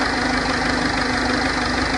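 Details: 2006 1.4 TDCi diesel idling with a fast, steady ticking knock over the clatter, constant in rate; cause unknown.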